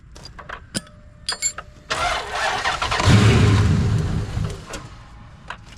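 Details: 2003 Dodge Ram 1500 Hemi V8 with 426,294 miles, after sitting and a throttle body replacement for flashing lightning bolt: clicks, then steady cranking churn about four pulses a second that never catches; engine flooded, won't fire.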